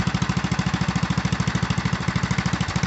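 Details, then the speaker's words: 1974 Sears ST/16 tractor, Briggs & Stratton 8hp single-cylinder, idling after pushing a 1999 Ford Ranger: quick, even putter around 300 firings a minute; owner thinks idle is slightly high and may lower the idle stop screw. "amazing it almost almost sounds like i could idle it down some more i might might do a little tweaking on that uh and that idle screw"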